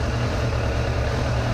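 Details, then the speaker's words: 2002 Suzuki GSF600 Bandit inline-four, warm idle on an auxiliary fuel tank with four vacuum gauges; carburetors deliberately thrown far out of sync, giving an uneven, lumpy low beat with cylinders pulling unequally. "here's what I'll do I'll throw way out of whack so you can hear it all right so I just throw a way out of whack so now I have to fix it"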